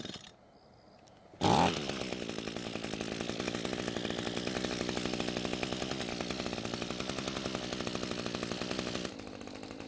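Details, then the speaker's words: Echo string trimmer long unused, after turning carb fuel adjustment screw half a turn counterclockwise to cure bogging; snaps to full speed with clean, even high-pitched buzz, no bogging or surging, running properly. "so after the adjustment it's now a whole lot better and it even runs well at full speed"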